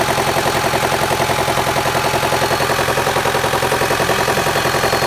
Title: Стук мотора 4b12 mivec outlander xl 2008 Подскажите что это может быть